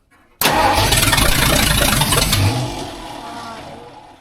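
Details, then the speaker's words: Rebuilt budget 302 V8 in a tow truck on first start-up with open headers and a new clutch, flywheel and distributor. It catches, blips once, then settles to a fairly even idle; it runs healthy. "Woo! We got a runner. Yes, sir. Hell. Take it out to the street. She runs, guys."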